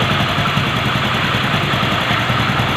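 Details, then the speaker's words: Motorcycle after removing the magnet plate that caused an engine noise: steady, even idle with a smooth low pulse and no tapping or rattle; noise gone after repair, normal idle. "அந்த பிளேட்டை எடுத்தோன்னே அந்த நாய்ஸே வரல."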